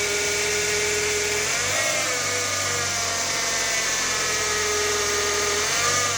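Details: Fiat Palio Attractive with Fire Evo engine: steady running with a raspy high-pitched buzz that swells slightly as revs rise; source unknown. Unexplained engine noise.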